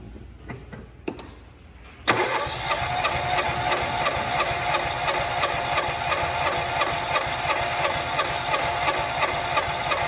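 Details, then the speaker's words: Fiat Palio during compression test, throttle floored, cranking: starter clicks in then fast cranking about three beats per second with harsh whirring edge; starter screaming, to be removed for servicing; cylinder reads 150 psi. "150 psi e o motor de arranque tá gritando aí daqu pouco nós vamos tirar ele para fazer manutenção"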